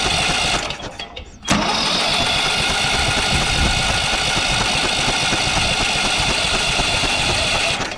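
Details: Briggs & Stratton 12 hp ride-on mower engine, bought for parts, kill wire disconnected: short crank, then catches and holds a steady, loud run without misfires; starts and runs fine.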